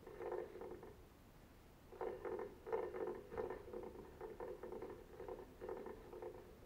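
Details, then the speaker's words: Three-phase electric motor with cover off, shaft spun by hand: rough, gritty rumbling in uneven bursts from worn bearings, mainly the rear one; both bearings to be removed and replaced as needed. "when it came it didn't sound so bad on the bearings but then I spun it around a bit and now it sounds like this"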